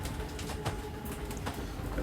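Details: 2022 Zinger 328SB travel trailer slide-out being extended: steady low gear-motor drone with a faint whine and even rumble, no grinding or stalling, extending normally; a gear-grinding noise marks full extension.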